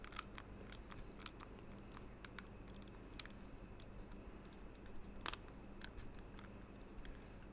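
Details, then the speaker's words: Fantech Aria gaming mouse after about three months of use, pressed lightly top to bottom: scattered dry plastic ticks and crackles from a creaking, loose-fitting shell. "and then when you press top to bottom lightly I saw you also get some Creek"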